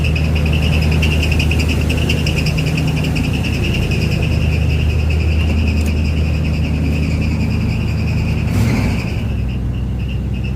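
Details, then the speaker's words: 1985 Chevy Caprice Classic wagon, small-block V8 at idle: steady, even, smooth low burble with a faint high whine, no knocks or misses; owner says it's running really good. Normal idle. "look at that there's those small blocks heavies man listen to this thing it's running so damn good"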